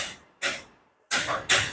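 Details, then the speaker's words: Proton Persona (towed in, battery already replaced, problem persists) at key turn: three harsh metallic clattering bursts with dead gaps like a carpenter hammering inside; starter clatter from a wiring/grounding fault, not the starter itself. "Ini starter, bunyi starter. Ada bunyi bertukang Ini bunyi starter. Benda ini dia akan menjauhkan bateri ini akan bermasalah. Macam ada orang tukang kayu di dalam ataupun tukang besi."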